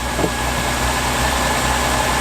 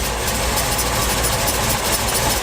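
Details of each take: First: Essex pushrod V6 in a Reliant Scimitar with carburettor, after fixing the rattling at the top of the engine: smooth, steady idle with an even hum and no tappet ticking at all. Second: Essex V6 pushrod engine with solid rockers in a Reliant Scimitar idling after rocker adjustment; quieter, but extra metallic clatter at the front from a tool left on the crank pulley.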